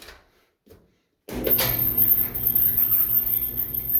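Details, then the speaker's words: Clothes dryer running a full load after idler pulley area cleaned, no oil applied; steady drum rumble with a thin, shrill squeal, noise back and possibly worse; idler pulley replaced mid-2023, belt later found frayed. "unfortunately I already know the noise is back because I've tried the dryer the full set of close but despite all the cleaning out of that area it sounds like"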